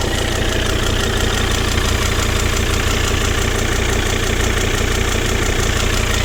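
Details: Volvo XC90 D5 diesel at steady idle with a regular pulse of about three beats a second over the engine note; strange noise, cause unknown.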